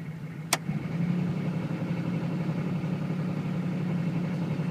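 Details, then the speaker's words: 1996-2000 GM 6.5 diesel (OBDII), cold start, high idle switch engaged: climbs within a second to a steady smooth fast idle (settings 1070 or 1350 rpm, about 1350 heard); normal high idle. "this is a cold start okay now the first one is 1070 the next one is 1350 I believe"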